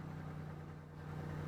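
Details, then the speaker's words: Perodua Viva 850 that died suddenly, relay bypassed by a jumper wire: engine catches and settles into a steady, even low idle, no knocks or misses; fault is the relay. "Kita start. Kita start begitu. Jadi engine tengah hidup lah."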